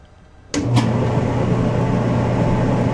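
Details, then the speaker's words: Gas dryer just converted to propane, reassembled and plugged in to test the drum: motor starts and the drum settles into a steady, even rumble with low hum, no scraping or thumping; drum rotates freely and smoothly. "drum sounds good, it's moving smoothly."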